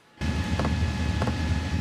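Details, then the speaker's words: Sunster/SunChaser HTB1 diesel air heater starting up, output still under 200 watts: soft, even ticks roughly every 0.6 seconds over a steady fan whir, the fuel dosing pump pulsing audibly. "And so I'm sure you can hear that pump going now."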